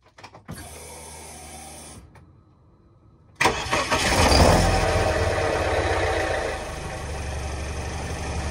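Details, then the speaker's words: BMW E46 idling after exhaust leak repair with a longer sleeve and paste; cranks, catches and settles to an even idle with no puffing or ticking, no leak. "at that's good no leak"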